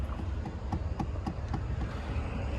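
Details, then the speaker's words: Chevrolet Impala at a public auction, engine not running: light, regular knocking about four times a second over a low rumble from behind the dashboard, possibly from the AC; source unclear. "this one has that problem that uh my mom's Impala had that then knocking noises like something from I guess the AC or something like that"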